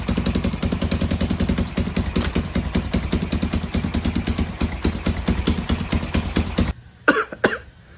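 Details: Free 1980 Honda XL500S single after reassembly, new fuel line and filter, old tank gasoline, choke connected: crisp even thump holding a regular beat until shut off: normal running.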